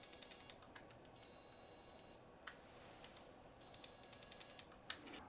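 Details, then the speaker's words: Canon PowerShot SD200 camera powering on: sharp irregular clicks with bursts of high motor whirr as the lens extends; lens noise, said to be common on Canon PowerShots, cause unclear. "hear that clicking pretty common with Canon Power"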